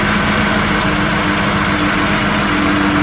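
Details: 2011-2020 Chrysler Town and Country / Dodge Grand Caravan 3.6L V6 after harmonic balancer and belt replacement: loud steady idle with faint constant hum, no wobble, knock or belt chirp; sounds healthy.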